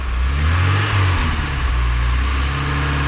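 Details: 1984 Porsche 944 running after sitting a couple of years, with good oil pressure: steady, even four-cylinder idle with deep low rumble and slight light clatter on top; running fine.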